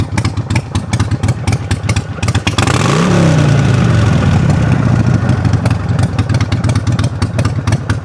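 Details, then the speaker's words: Harley-Davidson Sportster big twin, down off high idle: lumpy, loping idle with uneven firing pulses from the big twin and a brief blip midway, settling back; idling exactly where it should. "Here it is in all its glory, idling exactly where it should be."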